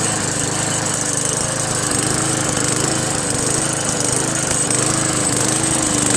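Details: Free Craftsman Eager One 4HP Tecumseh 20-inch push mower after carburetor replacement: steady run with a thin, tinny rattle over the engine. Owner suspects loose inner sheet metal or a thin bracket; cause not found.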